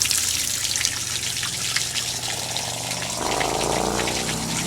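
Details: Samsung WA50R5400AV top-load washer during deep clean, draining water left in drum: steady low pump drone under heavy gushing and trickling water as the drum empties; normal drain.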